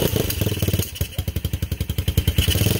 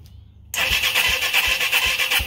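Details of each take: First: Beginner-bike engine on a reverse trike build, not started in 10 years and fed from an old gas tank: uneven spitting firing, then a rough low pulse that won't settle; a kickstand safety switch is cutting the ignition. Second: Reverse trike engine not started in 10 years, fed from old spare tank, carburetor uncleaned: fires and catches, running on with steady loping beat and bright valve chatter; healthy start.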